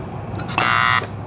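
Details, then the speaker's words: 2009 Embraco fridge compressor from a Whirlpool side-by-side, over 10 years old: harsh steady electrical buzz for about half a second on power-up with no run-up; rotor locks solid because the worn main bearing lets it rub. "See? iI locks up solid the minute I put power on it."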